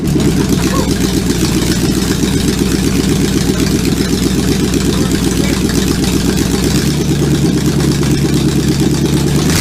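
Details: Supercharged V8 in a 1959 Vespa microcar, first-ever start attempt: loud, lumpy burble with fast even firing pulses and throttle blips; fires up and keeps running, normal running.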